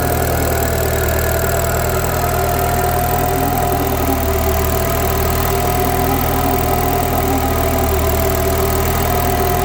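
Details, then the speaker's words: Citroën DS3 at steady idle with a raspy puffing blow on each exhaust pulse; the downpipe is hanging off and leaking at its joint. Decat downpipe replacement unfinished because the O2 sensor couldn't be removed. "Definitely sounds like it's blowing from here, so I wish I managed to get that done."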